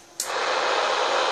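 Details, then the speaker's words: Homebuilt RX RF preamp installed in a unit, switched on: static hiss cuts in sharply and holds steady and even, which shows the preamp is working properly. "Now we're going to turn the preamp on. I'm sure you can hear that static."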